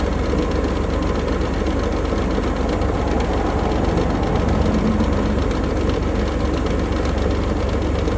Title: Range Rover Sport 2020 P400e Rattling Noise